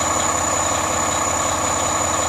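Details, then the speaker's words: 2010 Volvo big rig diesel, cold start at about 20 degrees, idling steady with a smooth rumble. A loud constant whistle rides on top, doubted to be the turbo and suspected to be a high-tech catalytic converter. Normal idle. "I don't think that loud whistling is actually a turbo. It's got some sort of like high-tech catalytic converter on it."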